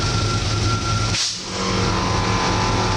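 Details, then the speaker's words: 1962 Chevrolet Impala air suspension, compressor in the back running while the car raises fully: a steady, noisy buzzing hum with a thin high tone over a low drone, a brief dip, then even running; normal compressor operation. "you can hear the compressor kicking on now that's what that's that noise you hear and now the car is all the way up in the air"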